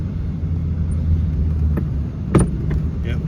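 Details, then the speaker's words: Audi A8 converted to coilover struts, driven over bumps: steady road rumble with sharp knocks, one louder, from the driver's side. The owner suspects a separated strut mount or loose top nut, or springs too short for the travel; unconfirmed. "this is pretty much what the struts are doing every time you go over a bump they make a noise on both driver's side rears you hear that"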